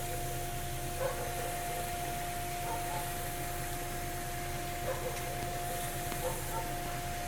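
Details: 2002 Ford Escape develops a steady mid-pitched hum after being driven for some time, over a low cabin rumble with a few faint clicks; cause unknown.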